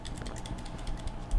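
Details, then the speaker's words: Frigidaire PLHS37EGSB1 refrigerator, not cooling with the compressor not running: the start relay, separated from the overload, gives light plastic clicks and rattles when shaken, showing the relay is bad. "you hear that the rattle that tells you that this this relay is bad"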